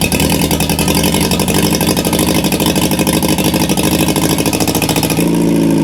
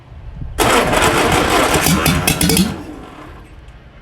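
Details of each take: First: 1950 MG freshly rebuilt engine on first start, cold, tappets set slightly over standard, exhaust manifold only with no exhaust, choke then off: rapid even tappet ticking over raw loud exhaust bark, revs rise and fall cleanly; runs normally, tappets just noisy. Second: 1950 MG engine, freshly rebuilt, first start attempt, cold, exhaust manifold only with no exhaust: fast cranking bursts into a few rough firing pulses for about two seconds, then fades; catches briefly but won't keep running.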